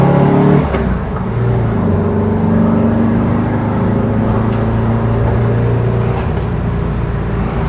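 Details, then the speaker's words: 1968 VW Type 3 1835cc air-cooled engine, fresh install with new heat wrap, on what was likely a fourth-gear pull coming off throttle: uneven pops from the exhaust; exhaust backfire, not engine related, owner suspects a leak at worn exhaust donuts. "I got a little bit of a pop up. Yeah, I got a bit of a pop backfire. It's exhaust."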